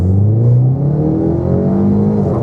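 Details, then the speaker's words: 2015 Ford Mustang EcoBoost with AEM intake, full exhaust and a mild tune raising transmission shift pressure, under hard acceleration: engine pulls steadily, revs drop cleanly with a brief chirp at each crisp, firm automatic upshift to third, reaching 85. "Like my shifts on this car are pretty good. You'll even hear it chirp."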